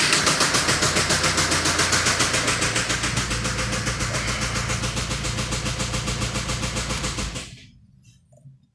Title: Стук двигателя n47d20_2